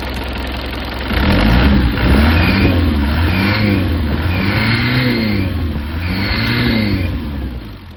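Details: 1996 (BE 2539) Isuzu NKR 110 hp six-wheel truck diesel, engine described as good: pulls up through four clean revs and settles back each time, firing evenly with no knock or rattle; healthy engine.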